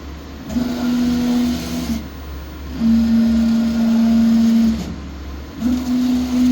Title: Y axis abnormal vibration sound